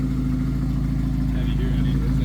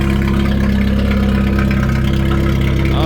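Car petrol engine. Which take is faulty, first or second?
second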